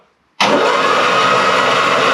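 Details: Classic Mini Van engine, off the road 25 years, bores oiled, first crank: sudden steady hissing whoosh as it spins evenly on the starter, oil spraying from the bores; turns freely, not seized.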